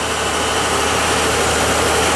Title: KITCHEN FAUCET MAKING ODD VIBRATION NOISE